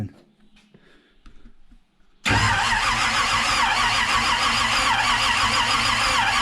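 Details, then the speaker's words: 1951 Chevy truck: steady starter churn with no firing while the fuel pump pulls a prime after fuel was poured down the carburetor; the engine cranks but does not start yet. "Holy crap, it sucked the fuel out of there. It's pulling a prime. It's priming."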